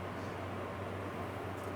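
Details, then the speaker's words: Nantucket Breeze MF-6C-2 6-inch personal metal fan, very dusty, probably high hours, running on high: steady low motor hum with a dull, muffled air rush; blades clogged with dust restrict airflow, though the motor seems in good order. "You can hear the sound of it. It's like restricted. It's not getting the airflow because of all the dust."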